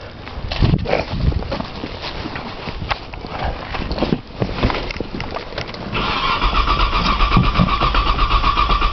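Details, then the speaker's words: Cold 1995 Nissan Maxima, 210,000 miles, push-button start, in snow, new battery, cranking with jump-box help while trying to prime fuel: long steady starter cranking, roughly four turns a second, never catches. Long crank, no start. "prime it again it's a long video cranking trying to Prime the fuel maybe a prime with the fuel pump"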